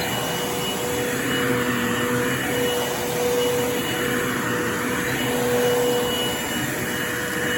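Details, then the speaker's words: Bissell Lift-Off Revolution Turbo Select 3760-T bagless upright vacuum (made October 2005), running with brush-roll motor switching on when reclined: steady motor whine with airy rushing swelling and fading; indicator half red before hose blocked, owner suspects a clog somewhere. "just so apparently this thing is already clogged somewhere so I'm going to have to deal with that CU I don't know if you can see it but half the indicator was red so was red before I even put my hand on the hose so this thing is probably clocked somewhere"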